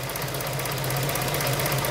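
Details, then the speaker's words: 2000 K11 Nissan Micra Sport, about 85,000+ miles, stored 10 years, fuel system drained and refilled with fresh fuel: slow, low, rough shaking tickover after the valve was refitted. Throttle body/idle control valve suspected, not confirmed. "ooh slow ticking over slow slow idle now that's what it was doing isn't it ticking over shaking"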